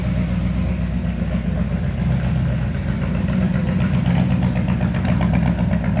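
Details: 1970 Chevy C10 with a 327 small block and HEI distributor, which starts hard when hot: a deep V8 idle that stumbles and lopes unevenly about four beats a second. The distributor was installed wrong and the cap and rotor are worn out.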